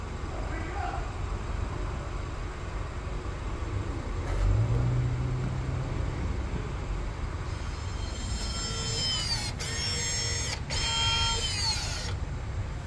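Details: 2015–2019 Subaru Outback, rear pad and rotor job: rear electric parking brake motors re-engage. A short whir with sweeping high-pitched tones over a low cabin hum; normal engagement.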